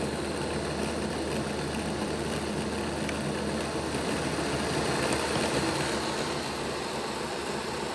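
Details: Bachmann Dash 9 model locomotive, run in reverse, rear motor block: steady coarse growl at one pitch, more growling than the front block; the motor sits misaligned, fixed by reseating it against its contact strips.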